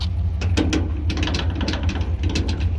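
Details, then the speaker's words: GMC Sierra 1500 pickup at idle with irregular sharp high squeaks and ticks from the bed area; the owner suspects a loose tailgate cable or bed hold-down strap. He plans to tighten the screws and apply WD-40, or else replace the cables. "I believe that's what's causing that squeaky noise every time I'm at idle."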